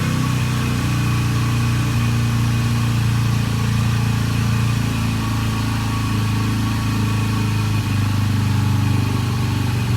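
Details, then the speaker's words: Flood-damaged, previously locked-up Yamaha TTR 125 just freed up and started, fuel leaking at the cap; heavy uneven lumpy single-cylinder idle, smoking badly, owner suspects heavy back pressure; rough running. "so great um smoking bad sounds like it's got a bunch of back pressure"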